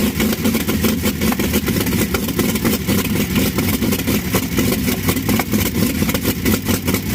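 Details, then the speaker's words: 1952 Chevy engine at first start, with fresh Autolite plugs; loud, uneven, lumpy running. Owner says the carburetor needs work and saw vapor leaking at the original fuel line outlet. "she runs oh yeah i got a little carburetor work to do but she runs"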